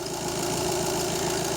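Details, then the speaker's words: VW Golf 7 with 2.0 TDI CLH (EA288) diesel at idle: thin steady squeal over the clatter, caused by a factory-defective Gates timing belt tensioner roller; the fix is replacing the roller. "To jest ten nowy silnik na piszczenie, posłuchajcie. I przyczyną tego piszczenia jest rolka napinająca pasek rozrządu."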